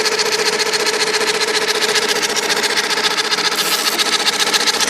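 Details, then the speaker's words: Correcting IBM Selectric II typewriter with a cracked center drive hub: rapid, very regular thumping at about three to four beats per second over a busy mechanical whir; cracked drive hub. "that is the sound of a hub Center Hub gone bad that thumping sound that Hub down there is broken"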